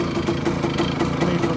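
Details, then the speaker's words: 1985 Kawasaki KE100 two-stroke, sat many years, blocked carburettor, idling in neutral: busy, slightly irregular rattle over the putter; owner unsure of the source, not yet pinned down. "but is that little rattle coming from somewhere not sure what it is it could be coming from somewhere"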